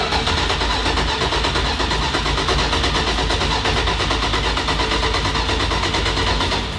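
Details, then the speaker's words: 1970 Dodge Challenger T/A, 340 V8, stored nine years, fresh fuel in tank: starter cranks at a steady even beat for seconds with no firing while priming the fuel pump; still no fuel reaching the carburetors, crank no-start. "And as you can see, we still have no fuel up there. no, it is still empty."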